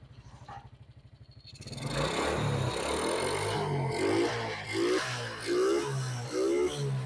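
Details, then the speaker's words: Suzuki Smash that had carburetor stumbling (brebet) on throttle, now after idle adjustment, carb filter not yet fitted. An even idle with crisp, repeated throttle blips and no stumbling; responsive now. Normal idle and revving. "ini sudah enakan bagian langgamnya tarikan gas juga sudah responsif motor juga sudah enteng sekali tarikannya sudah tidak terjadi mampet"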